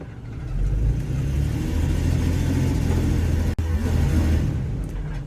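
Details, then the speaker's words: 2002 Ford E150 4.2L with P0340 cam code and chugging on the road: under throttle while power-braking, engine runs rough with uneven stumbling beat, kicking, bucking and brief cut-out; misfire from worn plugs and wires, fine at idle. "But when I give it some throttle, sure enough, we get pretty good error and a lot of kicking and bucking."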